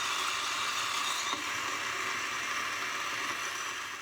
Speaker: I feel reasonably confident saying that if you get stone like that, or if you hear a stone like that, nothing bad's happened, because we couldn't see a thing on those burrs.